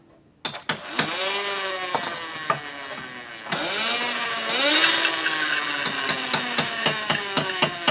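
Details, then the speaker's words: Honda Astrea Grand engine, new clutch housing with old small primary gear after a gear likely cracked from careless installation: high whine rising with hand-spun engine speed over sharp clicks, louder the faster it turns; mismatched primary gears meshing poorly. "suaranya semakin kencang kita putarkan maka ngiungnya itu semakin kencang ya teman-teman"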